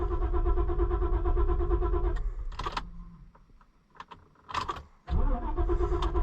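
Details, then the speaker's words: Auction-bought cheap Ford Super Duty after replacing fuel pump control module: steady rhythmic cranking quits, clicks, silence, then another crank; no start, owner suspects air; code shows fuel pump module control circuit open, lost communication. "there it goes it tried to start that time maybe it's got air in [Music] it I tried to freaking start"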